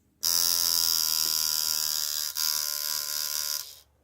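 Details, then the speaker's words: Tattoo machine run at 5 volts after being tuned without a needle, now with the needle in: a harsh, rough high-pitched buzz for about three seconds with a momentary dip. The uneven, raspy tone is not what's wanted; it is running off-tune and needs retuning. "I might have to tune this one just for the demonstration now to make it sound correct, but because I have it tuned without a needle in it, and I might have to adjust it a little once the needle's in it."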